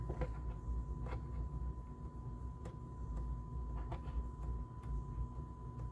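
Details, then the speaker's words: JVC A-X40 integrated amplifier, thrift-store find: steady test tone broken by irregular crackles and scratchy bursts as the volume knob is worked, clearing somewhat with working; filthy, scratchy volume pot, with some bleed on the left channel. "So the volume pot is obviously filthy. And I'm getting some bleed on the left channel as well. But it seems to be clearing up as I'm just working the control here."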